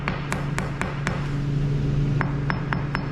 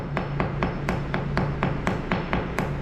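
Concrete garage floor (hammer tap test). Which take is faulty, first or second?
second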